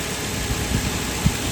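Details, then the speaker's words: Nissan Cima Y33 VQ30DET after alternator replacement with belts checked for alignment (before, the failed alternator gave a high-pitched noise): even, smooth, low idle rumble with no belt squeal or whine; engine healthy. "Yep. Sounds really healthy. It sounds normal. Before, when my alternator died, it's going on really high pitched."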